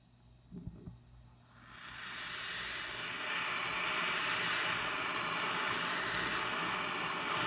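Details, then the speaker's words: September 1949 Coleman 242c lantern, just rebuilt, after torch-heating the generator: after a quiet start a soft rushing hiss swells and holds steady and even, the normal light lantern hiss, though the generator is in poor condition. "now you can kind of start to hear that normal lantern sound that kind of light hiss"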